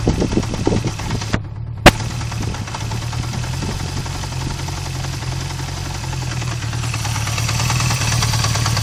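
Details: Recently bought Honda CB350F four at idle: a low, uneven idle with a loose clunking knock through the beat; the idle rpm had suddenly dropped.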